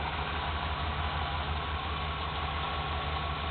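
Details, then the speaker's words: 1995 Dodge Ram van V8 at idle, after belt dressing was sprayed on a cheap, poorly seating serpentine belt at the pulley: steady low rumble, belt now quiet with no squeal; tensioner re-greased. "yep spray it right on top of that pulley there you go see how quiet we got"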